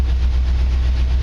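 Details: 1949 Chevy truck school project, LT1 V8 swap with a replacement ECM; deep, steady low rumble with no misses, knocks or surges; smooth, healthy idle.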